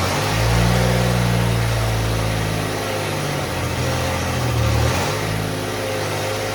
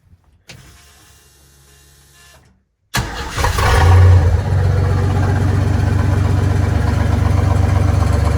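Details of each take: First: Willys Jeep CJ5 with swapped Chevy 4.3L V6, exhaust run only halfway back, while setting timing: low, slightly uneven idle with lazy blips; ignition timing retarded, distributor lacks rotation to advance it, owner plans to move plug wires one position. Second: Willys Jeep CJ5 with swapped Chevy 4.3L V6 after timing adjustment to about 4° BTDC: fires after a short crank, flares, then settles into a deep, even, smooth idle; runs much better. A tab is suspected of rubbing the bottom pulley.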